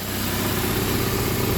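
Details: Exhaust leak. Steady idle with a raspy, puffing hiss over the engine note toward the front. Another shop wanted to replace the whole exhaust system, which is judged unnecessary.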